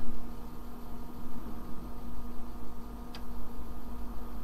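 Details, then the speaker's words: IBM-compatible 386 PC booting MS-DOS from a 360K 5.25-inch floppy: over a steady hum, soft irregular head ticks and steps as the drive reads the disk; normal floppy drive seek. "well that's pretty cool yeah that's definitely ms-dos starting very familiar sound do we who used ms-dos"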